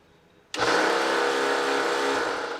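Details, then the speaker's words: Electric lawnmower starts with a loud, harsh, gritty buzz instead of a smooth motor hum; rattling noise, quieter after repair. "It is an electric lawnmower that is making strange noises, so let's hear it out."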